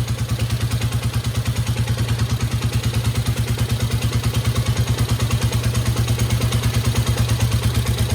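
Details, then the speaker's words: 1972 Honda CL350 twin during carb idle adjustment, idle screw slowly backed out to minimum running speed: slow, lumpy firing at about three beats a second, uneven pulses sagging toward stalling. Finding: unstable idle at minimum speed. "There, she's starting to hang. She will run that way."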